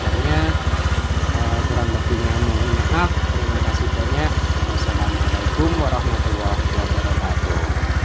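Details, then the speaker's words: Honda Vario 125 LED scooter idling after engine teardown and rebuild (was hard to start, smoking and often running out of oil): exhaust no longer smokes; steady even single-cylinder idle, no knocks, misses or rattles. "k ee narpot sudah tidak berasap lagi guys ya dan tarikannya juga sudah normal begitu"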